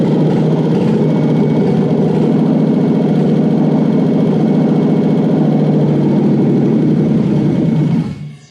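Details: Toyota 1UZ-FE non-VVTi V8: settles into a steady even idle with a smooth low rumble, no misses or knocks, before shutting off.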